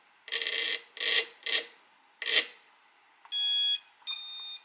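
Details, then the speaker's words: Eachine Wizard X220S racing drone, motor 2 spun from Betaflight on the bench; short scraping buzzes then two high start-up tones as ESC resets; motor fails to spin up; continuity and screw length ruled out, owner suspects bad ESC. "then you can hear the ESC is resetting. So not exactly sure what's going on here."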